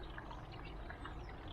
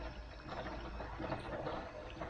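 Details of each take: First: Air source heat pump water circuit after filter cleaning and bleeding air locks: smooth, even rush and trickle of water with no gurgling or air spitting; flow steady and normal. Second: Air source heat pump circulation pipework, pump power raised to about 50–60 after filter clean on a cold day around six degrees: faint irregular gurgles and spluttering bursts over water rush as trapped air clears, then goes quiet.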